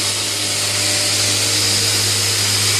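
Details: Newly built DIY 72" x 2" belt grinder on its first run, belt tracking well: steady, even belt hiss over a smooth motor hum with no knocks or flutter. It runs healthy.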